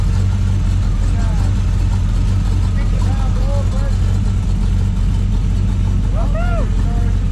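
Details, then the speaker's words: 1932 Roadster, frame-off build, freshly rebuilt engine, electric fuel pump, first run warming up on a cold night: deep even low rumble, steady, no misses or rattles; normal idle. "we've been waiting a long time to hear this thing run run and warm up"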